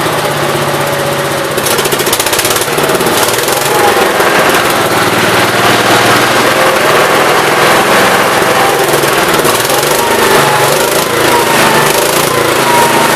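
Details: 1969 Gravely 432 after the carb main jet, out too far, was leaned and the carb cleaned. Single cylinder chugs steadily at a brisk, even rate under load with no popping or banging on acceleration, running well.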